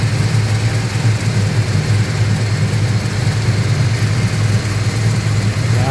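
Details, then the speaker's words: Holden HQ sedan with a small-block Chevy V8 after the carburetor was replaced to fix a fuelling misfire: steady, even V8 idle on the idle cam with a smooth low burble, no stumble or skipped beats; healthy, slightly rich at idle. "all right so we're we're in a good spot runs nicely"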